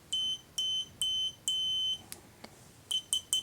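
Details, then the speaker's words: Continuity test on a DM40C 3-in-1 60000-count multimeter: clean high beeps starting sharply as probes touch; beeps on a 10 ohm resistor, not on 100 ohm. Continuity function working normally. "It's very quick. Let's see if the 100 ohm makes it beep. The 10R yes, the 100R no."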